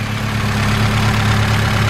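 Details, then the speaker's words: Honda S2000 at idle after refitting a banjo bolt: smooth, even idle with steady low hum, no rattle or knock; the former hot-start rattle, like fingers run across spokes, is gone. "no rattle noises no knocking um it would do on hot startups when i stepped on hot starts when i turned the car on uh it would sound like a little i don't know something like something like take your fingers and run across the spokes that's how it would sound but now that's gone"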